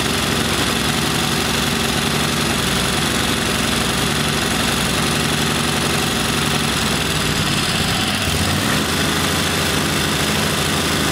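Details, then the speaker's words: Kohler Command V-twin mower engine, running rich and rough: loud lumpy running that sags and nearly dies; bad camshaft compression release not flinging out, kicking valves open. "and i won't idle because it keeps kicking those valves open because that compression young release is bad"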